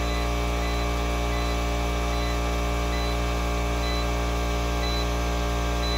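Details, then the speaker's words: Craftsman 120V 30-gallon 6HP 15A compressor powered by a 24V 2400W hybrid inverter: a steady, unchanging motor drone with no knocks or rattles. It runs normally under load, reaching 170 psi at regulator cutoff. "okay just reached peak pressure went up to 170 psi before the regular regulator cut it off"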